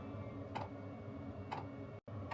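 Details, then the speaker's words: Sherp ATV Webasto diesel heater drawing fuel from the diesel tank: sharp light clicks about once a second over low hum; heater fuel pump metering diesel normally. "And so you can probably hear that click click sound. That click click sound is the Wasco heater. And what it's doing is it's drawing fuel from the tank."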